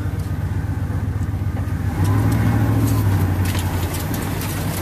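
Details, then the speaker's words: 1991 Chevrolet Silverado full-size, all factory, low miles, sitting seven years after a wreck, started after months: smooth even low rumble swelling slightly, no ticks, knocks or stumbles; runs sweetly. "This one runs better probably than any of our vehicles."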